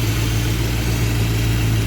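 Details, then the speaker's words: V8 with rebuilt Thermoquad carburetor, fully warm with choke completely open, idle mixture screws turned in about a quarter turn: steady, even low rumble, smooth unbroken beat, no stumbles; idles cleanly. "But the choke completely opened, everything warmed up."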